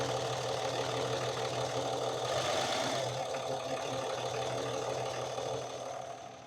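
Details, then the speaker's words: Cummins diesel truck during injector cut-out test: uneven, loping idle with a gruff hum and vibration; killing one injector made no change, suggesting a problem in that cylinder, not confirmed. "So I know it might be kind of hard to tell, but basically when we killed that injector, it didn't make a change in how the truck runs. So that kind of tells us at least that hole might have a problem."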